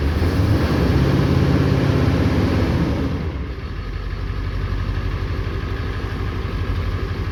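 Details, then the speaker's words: 1994 Ford 7.3L Powerstroke diesel pickup, sat 4–5 years, after fuel-pump repair, start after glow plug cycle with long crank expected to fill reservoir: about three seconds of steady cranking, then catches into an even, lumpy diesel idle; starts and runs normally. "Now we do expect this thing to crank a long time because of it needing to fill that reservoir and everything."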